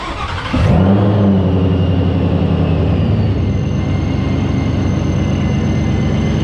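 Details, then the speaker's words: 2021 GT with Vortech V3 JT-trim supercharger and loud Heritage gears, starting up: fires and settles to a lumpy idle with a thin steady high gear whine, healthy, much louder than the quiet gears. "This is the heritage gear, so it's a lot louder. If I was going to go with one, I would go with this one."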